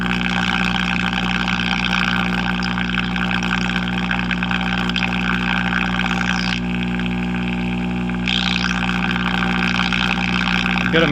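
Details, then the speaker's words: Early-1960s Knight Kit All-American 5 AM tube radio, water-damaged, with a replacement 35W4: a steady low hum under hiss and crackle that doesn't change with tuning; the 50 µF/30 µF 150 V filter capacitors are trashed. "But our filter is obviously trashed."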